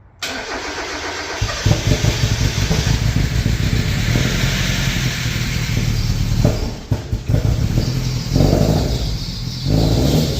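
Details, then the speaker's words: Mazda MX5 Mk1 first start with new exhaust not fully fitted: engine fires and settles into a rough, loud idle with a chuffing rasp; suspected exhaust blow at the rear back box, not confirmed; smoke looks black. "The exhaust isn't fully fully perfect and it's not buttoned up fully. So it might be blowing on the back box, but give us an idea to what it actually sounds like."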